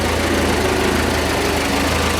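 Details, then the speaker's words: 1981 Alfa Romeo Spider Veloce, revived after storage with fuel and ignition work, idling just after timing set; smooth, even idle near 800 rpm (tach about 900), steady low pulses, no knocks or misses. "all right we've got the timing set seems to want to idle around uh 800 or so the tack reads a little bit higher i think we're about 900 on the tack so"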